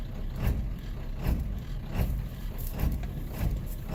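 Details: 7.3 L diesel just after a cold start, once the dash light goes out: deep, uneven thumps about every 0.7 seconds instead of a steady beat, a rough idle that sometimes clears with a little throttle.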